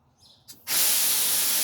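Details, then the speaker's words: Bus air brake test, front tank drained in increments, checking double check valve (only red needle moving). Short click and puff then steady loud air hiss; normal air tank drain. "I'm going to drain it in increments. Okay? I'm checking that my double check valve is working and that only one needle is moving."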